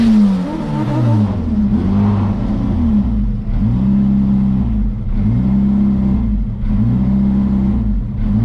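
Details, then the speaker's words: Boosted Honda Integra with factory distributor, in-car drag run at Las Vegas; revs climb then stumble and fall back about every 1.5 seconds under boost; high-rpm misfire, owner suspects coil and plug. "Yeah, as you can see in that video, the in-car footage, you can kind of hear it sputtering. Hold on, it's car coming. You can kind of hear it, sputtering, climbing the RPM."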